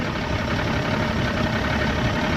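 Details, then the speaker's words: Evinrude 150XP outboard on a McKee Craft boat under way, loss of power: rough, uneven running with irregular stumbles; sounds like a miss, suspected fuel starvation from dirty carbs, clogged high-speed jets or a bad needle and seat. "It sounds like it's missing, but I think it's like not getting the right amount of fuel."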